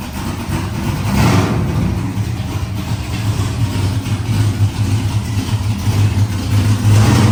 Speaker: ght now we got the rev limiter set at what 3 3,000 yeah just to test it yeah we was just wanting to make sure that it did work and uh it does so